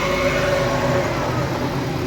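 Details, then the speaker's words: Maruti WagonR petrol engine idling with AC off and new radiator fan fitted: even run, faint fan hum fading, no vibration or noise; noise returns only when AC switches the radiator fan on. "तो दोस्त, car शुरू हो गया। सब कुछ वह ठीक है। कोई कोई कंपन नहीं . कोई आवाज नहीं। ."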